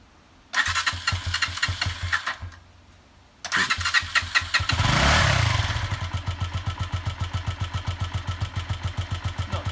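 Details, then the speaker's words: Honda CG125 first start after sitting, on a borrowed battery: splutters, then catches into a low, uneven thumping idle; runs rough, old fuel and uncleaned, possibly gummed carburettor suspected. "Well, there we are. It is running, sort of. Still Idle sounds a little bit low, but yeah, as Kieran says, we've still got all fuel in there."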